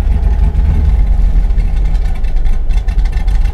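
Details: 2000 Chevrolet Silverado 5.3L LM7 with VS Racing 7875 turbo after Summit SUM-8701 cam swap, idle tuning in HP Tuners: low, lumpy idle that sags and stumbles in gear, nearly dying; insufficient base idle airflow.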